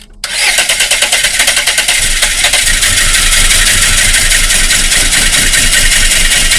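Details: Volvo 480 2.0 after timing belt replacement and valve adjustment: quick even cranking several seconds, no catch; cranks but won't start, wrong timing suspected.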